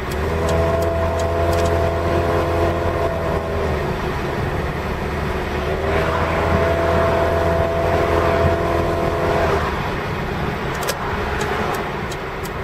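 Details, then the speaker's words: BMW E30 318i after a brake job, driving on road: mid-pitched squeal coming and going with wheel rotation over road and engine noise, from new ceramic brake pads expected to bed in. "sounds like speed damn ceramic pads they're a little noisy oh well they should wear in"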